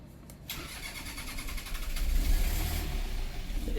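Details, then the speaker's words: A boat diesel that has hardly been run turns over on the starter, chugs and nearly catches but won't settle into a run. It is a hard start after sitting unused; the cause is suspected, not confirmed. "Yeah. So, I mean, it it'll start. It's a little It needs a run. It hasn't run a lot as we hear."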